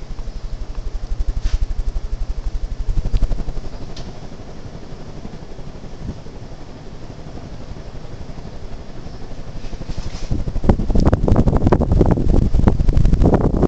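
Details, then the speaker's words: Old Hunter Robbins & Myers ceiling fan with Reverseaire and adapter blades, stiff to turn, running on high: even rhythmic whooshing about four pulses a second with a little clatter, building slightly. Normal running. "it still blows it just acts like it wants to sometimes let me start it off on high yeah just listen to that"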